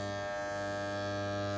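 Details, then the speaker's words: Andis T-Outliner trimmer after the fix, blade screwed back down; steady, even low buzz with no rattle, the right vibration, running smooth and quiet. "Yeah. Well, Lord, this is the right vibration I get now. Now back and nice."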